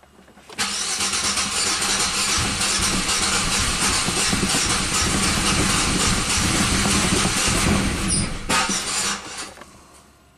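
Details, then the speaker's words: 1997 Buick Century 3.1 V6 with a pressure transducer in cylinder six: long cranking with an uneven, lopsided beat of about four pulses a second that never catches; dead cylinder. "you know five cylinders out of six"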